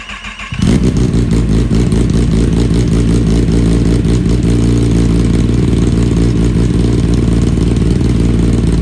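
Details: Rebuilt wrecked 2020 Kawasaki ZX10R motorcycle just fitted with a new slip-on exhaust, started up: loud, choppy idle with uneven popping, breaking up at low rpm and shooting flames; owner thinks the ECU needs a tune for the new exhaust.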